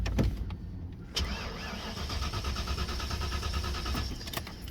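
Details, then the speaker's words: 1992 Ford Mustang GT Foxbody (306) that stumbled, backfired and quit on the highway: starter cranks at a steady, even rhythm but it never fires; no spark, owner suspects TFI module or distributor ignition. "I'm gonna try it one more time if it starts I'll be shocked"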